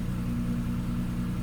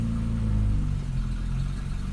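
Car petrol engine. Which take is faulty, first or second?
second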